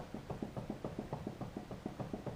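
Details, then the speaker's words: 2006 GMC Sierra half-ton pickup, raised wheel rocked side to side: quick even clunks about seven a second from hub play; bearing was fine, the axle nut had backed off and was retorqued. "and side to side and I don't know if you can hear it there but it's pretty it's not terrible terrible but it is loose"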